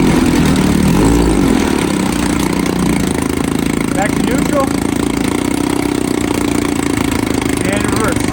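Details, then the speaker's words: 1954 Evinrude 7.5 HP Fleet Twin outboard, first run after carb cleaned and reinstalled with new gaskets, float and needle, plus new coils and cleaned points: small twin ticking over at steady, even buzz without stumbles or surging; normal idle. "Let's see if it runs. Sounds good. Not making any gas. Actually, idle good here."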